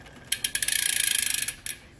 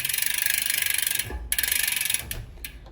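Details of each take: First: Shimano Ultegra road bike drivetrain cross-chained into 8th–11th rear gears: quick, sharp high-pitched ticking, about fifteen a second, as the chain side plate rubs and gouges the inner front derailleur cage; extra friction. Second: Bicycle with Shimano Ultegra drivetrain on the small chainring in gears 11 to 8: light steady freewheel and chain ticking, chain clears the front derailleur with no rubbing; normal drivetrain running.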